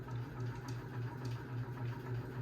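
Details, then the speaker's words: 52-inch unknown-brand bronze hugger ceiling fan on high speed: low steady hum throbbing about four times a second; loudest and possibly wobbliest fan owned, barely moves air; owner suspects a flywheel out of balance. "This is the loudest fan this is the loudest and possibly the wobbliest fan we own."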